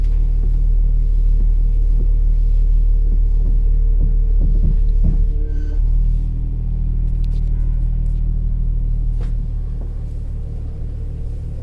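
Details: 2018 Ram Promaster, engine idling: dull clunks and a brief thin screech as the steering wheel is turned; dealer repaired it under warranty.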